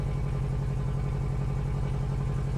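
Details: 1994 Honda Accord turbo engine with ring land problem, burning oil: lumpy pulsing idle with uneven low thump in exhaust beat, dropping a cylinder; owner suspects exhaust leak at turbo manifold; engine to be rebuilt or replaced.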